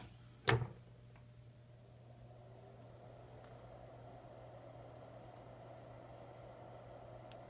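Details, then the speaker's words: MFJ-4125 power supply after adding a resistor to slow the fan; click at switch-on, then a soft steady hum with gentle airflow out the back, no rattle or whine, quieter than before; normal quiet fan. "definitely quieter you can still hear it um but it's definitely quieter and you can still feel air movement out the back so i think it'll be all right"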